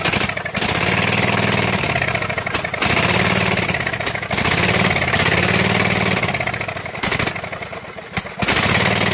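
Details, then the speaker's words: Husqvarna mud mower, 18hp Kawasaki V-twin, after five minutes submerged in a pond: catches and runs in uneven bursts that sag and cut out, only on starting fluid; water-contaminated fuel and a clogged fuel filter starving it. "well it'll run actual starting fluid and see if i can get it to run a little bit longer so"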